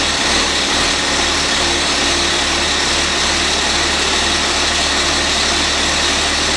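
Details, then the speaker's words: Old 4-cylinder Cummins diesel flatbed truck, fresh batteries; steady fast diesel drone at constant speed, no throttle change, engine running on and won't shut off; owner suspects starter contacts sticking after sitting. "that was an odd one i've never had that happen i think what's happened i think it's set for long enough i think the contacts and the starter are sticking"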